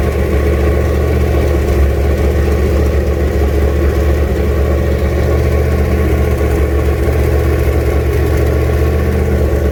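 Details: 1967 Mustang, junkyard 351W turbo V8 with headers and fender-exit exhaust, first fire-up: loud deep steady idle, slightly lumpy beat, no knocks; owner says it needs a tune, no weird noises.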